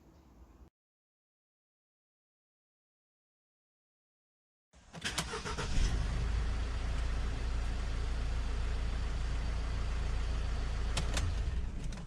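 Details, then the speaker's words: Mercedes Sprinter (2006–2012 type) diesel van after fixing an intermittent no-start by replacing the relays and cleaning their contacts: silence, then it cranks, catches at once and settles into a steady, even idle with no misses. Normal start, still starting fine three months later. "up now you'll see the man starting up fine and it's been starting fine ever since"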